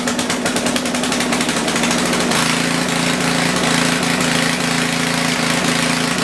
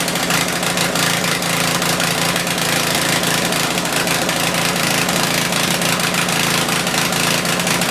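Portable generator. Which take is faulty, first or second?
first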